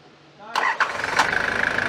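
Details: 1993 Nissan Terrano diesel with hard-starting complaint, fuel feed and return lines joined to bypass the tank: starter turns briefly, engine fires almost immediately into steady even idle; normal quick start, pointing to feed pump one-way valve draining fuel back.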